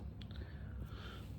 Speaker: Шума ми майже не чуємо. Ось що таке шум в роботі вентиляційної системи.